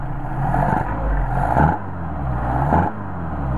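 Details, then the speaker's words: Mercedes 190SL with rebuilt, tested Solex carburetors, idle set around 750–800 rpm and linkage adjusted: steady low idle with three quick throttle blips, revs snap up and settle back without stumbling. Normal throttle response. "the nice nice running car but it's really nice oh very nice"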